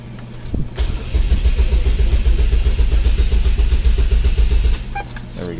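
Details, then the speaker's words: 2003 Chevrolet Cavalier 2.2L Ecotec supercharged 5-speed with a no-crank, click-only complaint: during a clear-flood test, the starter is load-tested with a current probe. Cranking is even and steady at about four turns a second with no dropouts or hash. The starter is normal. "and look at that guys i don't see a problem with this starter at all see that it's all even you don't have like you would see like all this hash in the way for but we are good"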